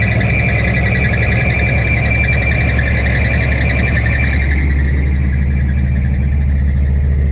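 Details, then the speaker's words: Big-block Chevy V8 in a truck, not run in years, carburettor filled by hand, smoking from Marvel Mystery Oil in cylinders: loud, even burble, no knock or misfire; compression guessed decent. "the way that it fired fired right up once it had had enough fuel I'm guessing the compression is pretty decent on it"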